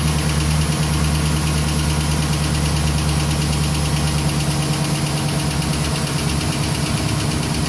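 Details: 2011 Silverado 5.3L V8, 126,000 km, after sitting 8 hours at +12°C: hard start, then a loud idle with a fast, slightly uneven tick-knock about three per second; valve cover with built-in PCV recently replaced; cause unknown.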